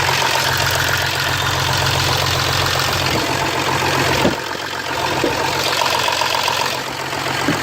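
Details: Audi 3.0 TDI after cleaning and reinstalling injectors with new copper washers and O-rings, first start: steady diesel clatter at idle, even beat, no sharp repeating tap; former tapping, traced to a bad copper seal on injector six, is gone.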